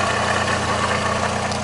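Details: VAZ 2110/2111/2112 or Priora, hot engine, under-bonnet: steady low hum over smooth idle after alternator and tensioner bearings were replaced; suspected worn water pump bearing droning, being checked by removing the belt.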